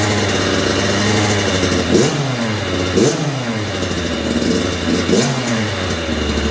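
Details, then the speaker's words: 2009 Kawasaki KX85 two-stroke, KX100 big wheel conversion, after top end job with rehoned cylinder and new ProX piston: crisp crackle blipped to high revs about once a second, dropping back cleanly; runs strong and even, slight coolant leak, owner suspects overfilled tank. "so it sounds like it's running pretty good it is leaking a little coolant I don't know if I overfilled the tank"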